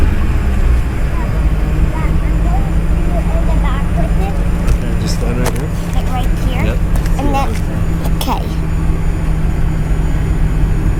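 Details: 2006 Mercury Grand Marquis V8, first startup and idle after an OEM dual-exhaust swap with the two rear catalytic converters deleted; some debris (possibly a rat's nest) was blown out. Deep, steady, even burble with no misses or knocks: normal.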